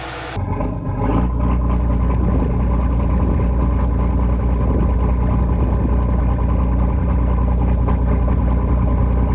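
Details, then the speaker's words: Volvo Penta TAMD 71B marine engines in a partially sunk boat, first start after standing unrun for 10 years: steady, even low rumble with no popping or coughing, smooth healthy idle; expected popping but sounds really good, pressure good. Normal idle. "That sounds mint. That sounds really good."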